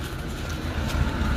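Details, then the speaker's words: Maruti Eeco after a complete engine rebuild, exhaust silencer note checked: a steady, even, low exhaust drone at low revs with no misses or popping. Normal exhaust note. "તો તમને એકવાર સાયલેશન હોતો ને check કરાવી દઉં. સાયલેશનમાં કેવો અવાજ છે કેવો મીઠો અવાજ છે."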